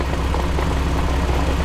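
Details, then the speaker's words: 2006 Jeep Wrangler TJ Rubicon with an NSG370 6-speed manual, quiet at idle and in third. It gives a steady low growl in fifth gear that grows progressively louder. Worn output shaft bearings are suspected; third also gets loud on coast. "leave it in fit for just a little bit okay i definitely got some sound in fifth gear now"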